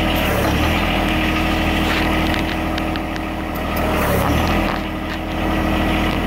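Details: John Deere 1023E backhoe started after a new battery install, having sat a while: steady low diesel idle with an even rhythm and slight speed swells, running normally.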